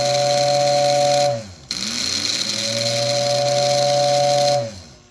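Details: Lionel 671R radio-controlled tender from the 1946 Electronic set: two steady hooting whistle blasts with breathy hiss, clean pitch, tapering off; whistle working normally.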